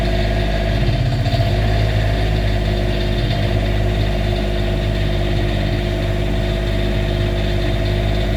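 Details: Cummins Onan RV QD 8000 diesel generator just after its 100-hour service (oil, oil, fuel and air filters, fuel pump primed; coolant seemed low): steady, even drone with no knocks, misses or surging; healthy run.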